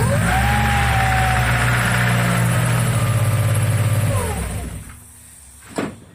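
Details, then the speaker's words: Mazda Miata (1997 or 1998) on its first startup after head gasket replacement, small battery freshly charged, prime attempted by bumping the key. Brief starter churn, then a steady, even idle before shutoff. A clean start. "well I'll be down it started right on up I tried to prime it but you have to bump the key over for the prime"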